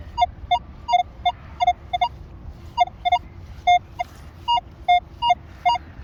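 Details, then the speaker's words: Minelab Manticore metal detector in 5-tone mode on a target showing 3 bars: short beeps flip between a lower and a slightly higher pitch about once a second, with the reading bouncing between two tone breakpoints. "it sounds like there's it's got like 2 tones. It's got that high-low tone because it's bouncing between both of my breakpoints."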